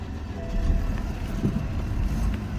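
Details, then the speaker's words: 2015 BMW 328i with a drivetrain malfunction warning, suspected water damage from driving through a puddle; it starts and dies within five seconds, with a low uneven note dipping and surging as the throttle is feathered near stall. Cause not confirmed. "a little push to start you guys hear that it started puttered out like within five seconds try it again"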